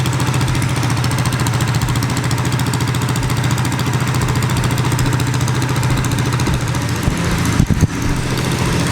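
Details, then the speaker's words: Baja Warrior mini bike single-cylinder with newly welded little exhaust, cold night: steady, even, deep throaty putt at a quick idle, no knocks, rattles or misses; normal running. "let's give that engine a start and see how it sounds oh yeah this thing sounds real good i'm really excited huh"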